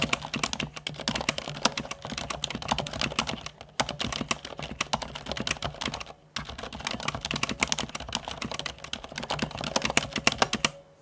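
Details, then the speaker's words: Keychron C2 mechanical keyboard after swapping Gateron Blue for Cherry MX Silent Red switches: soft fast typing with faint metallic ring on some keystrokes, the switch spring ping; owner plans to try lubing or switch films. "the other slightly more annoying issue i have noticed is the dreaded pinging noise"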